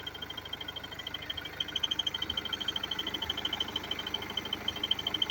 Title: BMW F30 320d エンジン異音